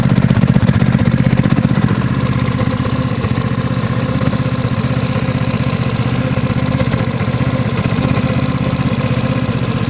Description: My BB gy6 180cc is making this knocking noise that seems to have gotten louder recently.